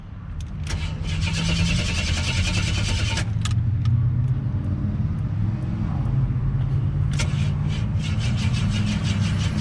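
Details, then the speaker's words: Buick WE4 broken down in traffic, fuel pressure present, battery weak at 11.3 V: steady cranking about four turns a second that never fires, tach reading 0 rpm while cranking; failed crankshaft position sensor. "All right, so I just cranked it with the RPMs on and it showed 0. The crank sensor."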